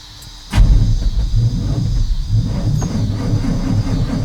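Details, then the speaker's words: 1989 GMC Sierra 3500 350 V8 after battery charge and days of sitting: long, uneven cranking without catching; owner suspects a failing fuel pump because fuel drains back fast. "Now, when I know one thing, it will turn forever before it fires. So I know it needs a fuel pump."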